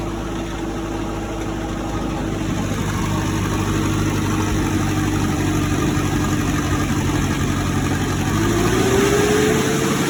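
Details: Cummins 3.3 QSB diesel from a stump grinder, run after rebuild with pistons, rings, rod and main bearings and head gasket (had oil from the blow-by tube), Insight connected: even, steady idle clatter, faint rising turbo whistle, no knocking. Normal idle.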